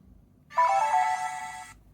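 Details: Sony Vaio VGN-BX393 laptop from about 2006, battery missing, at power-up: clean, bright chime of about a second with no crackle or distortion; speakers working properly.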